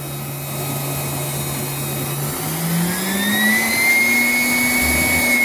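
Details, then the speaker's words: Homemade micro gasifier (water gas generator) running extremely hot after secondary steam line injected steam into combustion chamber (possibly too much): loud steady jet-engine-like roar with climbing whistle; fuel suspected combusting inside device, cause unconfirmed; superheater steam later exceeded 400°. "whoa something's going on inside of there it's like a jet engine effect"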